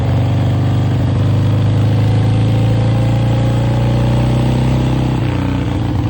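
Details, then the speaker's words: 1966 Harley-Davidson Sportster XLCH 900cc Ironhead, kickstarted after years of sitting, idles with an uneven loping beat and wavering drone; rough running, owner blames the carburetor slow jet, which needs adjusting. "Yeah, we definitely got a slow jet. You can hear it. Doesn't sound right. We got to get that carburetor off and adjust that slow jet"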